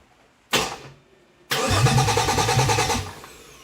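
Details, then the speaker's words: 2008 Dodge Nitro, first start attempt after an engine change, about 20 degrees outside. The fuel pump is audible and rail pressure reads 55 psi, but the injectors get no power. The starter turns evenly for 1.5 seconds without firing: crank, no start. "I'm hearing fuel pump, but I'm definitely not getting through fuel injectors. No power to fuel injectors."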